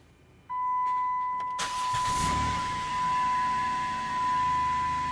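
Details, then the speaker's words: 2010 Chrysler Town & Country after replacing the spark plugs and plug wires: door chime, brief crank, then the engine catches at once into a smooth, steady idle with no misfire and no dash lights; normal start. "So as you can hear, the engine is running. There are no lights on the dash. We're good."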